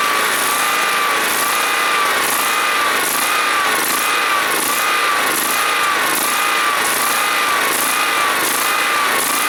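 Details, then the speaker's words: John Deere SST-15 Spin Steer riding mower, jump-started off a truck battery, running after carburetor adjustment and cleaning: steady, even engine note with a slight regular waver about once a second, no knocks; runs pretty nice. "this thing this thing runs pretty nice I kind of want it so we're gonna go ahead go home and we'll take it from there"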